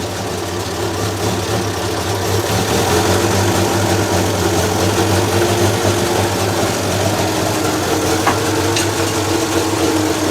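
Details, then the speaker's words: 1932 Morris Minor four-cylinder sidevalve, first run in years after the points were checked, no coolant, minimal exhaust: a fairly even idle with regular firing and no knocking; running reasonably well. "try putting the choke in a bit oops that's not too bad considering there's not much exhaust on it"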